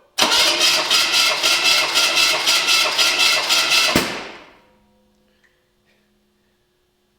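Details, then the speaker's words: Small block Chevy V8 stored for years, cranking during compression check; steady starter cranking with even, strong beats around four a second, no catch; compression healthy and even. "Oh, guys, that's a pretty good compression, don't you think? Holy crap."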